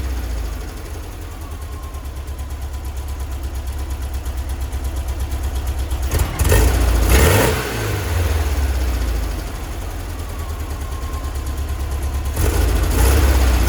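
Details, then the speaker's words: 1966 VW Split Bus dual carburetors with mid-range jets drilled to 60: low lumpy idle, two throttle blips with sluggish rev rise; slight acceleration hesitation remains, accelerator pump to be adjusted, may go to 70 jets. "all right so still have a little bit of a hesitation we're gonna crank the uh accelerating acceleration pump just or the injectors just a little bit"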